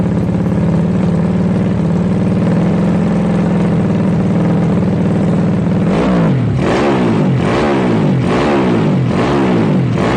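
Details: Yamaha Jupiter Z bored-up engine used daily, fresh oil, new spark plug and fuel: steady even idle, then crisp repeated blips up and down, no misfire or knock; normal idle and revving.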